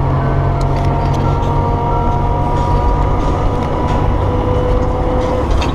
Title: Gear Noise